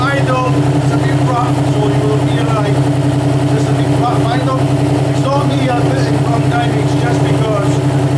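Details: Alfa Romeo GTV 916 3.0 V6 24v after clutch, timing belt and sump gasket seal replacement (oil leak fixed): smooth, even idle with a steady low drone and no knocks, ticks or misfires; healthy.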